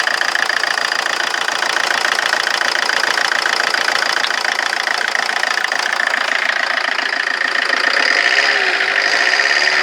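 Diesel idling with a fast, uneven clatter around three and a half beats a second and a wavering rhythm; rough idle, cause unknown.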